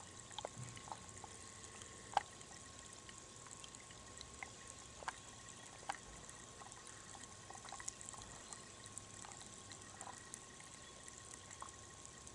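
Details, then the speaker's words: Lead-acid mower battery on charge on a 78-degree day: faint scattered fizzing and sizzling crackles over quiet background as the cells gas while taking charge. "I'm going to be very quiet. See if the camera picks up this sizzling from the battery cells."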